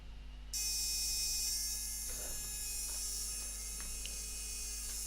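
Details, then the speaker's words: Arduino-based battery tester/charger circuit on strip board: as voltage wound up, relay chatters with fast high-pitched buzz and crackling over hum though it should be idle; solder bridge on its drive circuit. Relay chatter from solder bridge. "is the resistor the relay going crackers and it shouldn't be doing anything this is the drive to it which is this wire not connected okay we have a problem"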